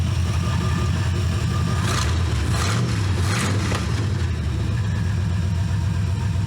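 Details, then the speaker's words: C4 Corvette-based kart V8 warming up before a timing-light check: a steady, even idle with a brief rev blip and no misses or knocks. Normal idle. "Like a sewing machine, just like I promised."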